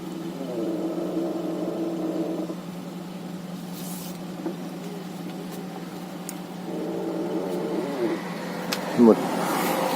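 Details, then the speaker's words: 2011 Hyundai Avante MD (Elantra), 222,000 km, at idle: wavering drawn-out creak twice as steering is turned to full lock each way; owner warns against assuming ball joints, source being diagnosed. "значит такая проблема пробег уже 222 тысячи километров при повороте руля до упора в одну сторону в другую сторону были слышны и такие скрип"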